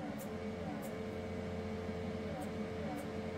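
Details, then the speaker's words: Anycubic Photon M3 Max auto-feed pump giving a faint, steady hum that never changes: it runs but no resin reaches the vat, because air escapes from a resin bottle cap left unsealed after its washer was removed. "and we can hear that it's clearly blowing air and we can actually disconnect it then we push that we're can feel air coming out"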